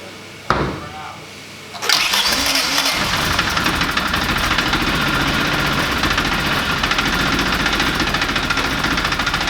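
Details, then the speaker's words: Classic Mini Miglia race car, newly fitted stainless exhaust, fire-up with motorsport wiring finished: brief crank, catches near two seconds and settles into crisp busy idle with light rattle; healthy start and idle. "but for now we can fire it up and see what the exhaust sounds like."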